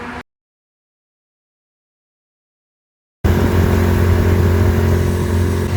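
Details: 25hp Mercury two-stroke outboard on a 14ft mod-V jon boat, after carb cleaning and replacing a leaking gasket that caused an air leak: after a short silence it picks up and runs smooth and even with a steady low drone, no stumbling or surging.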